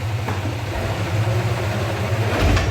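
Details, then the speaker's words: 1965 Chrysler Valiant AP6, rear jacked up with wheels off the ground, engine running in second gear: steady low whirring hum. The gear seems not fully engaging, and only second gear works; cause suspected, not confirmed. "You can hear that whirring, so it's not quite engaging."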